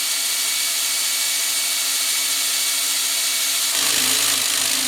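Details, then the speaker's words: Mustang with newly rebuilt 347 after winter storage, oil pump being primed with a drill before start: steady high whine that deepens and loads as the pump picks up oil and pressurizes crankshaft bearings. "She's getting a lot of oil. I got to turn the pressure up the other way. Now I'm pressurizing all the bearings on the crankshaft."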